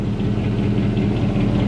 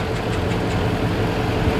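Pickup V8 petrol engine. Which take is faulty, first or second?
first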